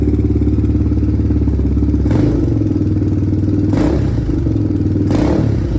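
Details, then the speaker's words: 2007 Honda TRX400EX, just started with choke: fast single-cylinder chuff with a pronounced top-end metallic rattle and throttle blips, breaking up under throttle with slight smoke; loose valve lash suspected, covers to be checked. "It's definitely rattling pretty bad in the top end though. So I guess before I ride it, I'll go ahead and pull these little inspection covers off and just see what that valve lash is, because it sounds pretty noisy."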